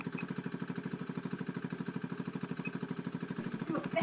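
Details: Honda Beat FI scooter brought in for stuttering and hesitation when throttled; warming up at 67° (below working temperature) with ECU still in mode one, it idles with an even, steady putt-putt of about three beats a second and no misses.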